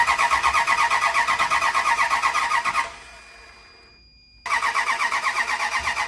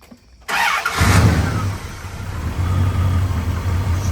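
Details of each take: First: Marketplace truck with earlier misfires, fitted with new plug wires, cap and rotor: long steady cranking at about three starter beats a second with no catch, then a pause and more cranking; hard starting because the plug wires are in the wrong firing order, fixed by re-routing them. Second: V8 truck bought sight unseen, started after the spark plug wires were re-routed to the correct order (distributor cap markings were wrong): it cranks briefly, catches quickly and settles to a steady, even low idle with no misses. Runs smooth.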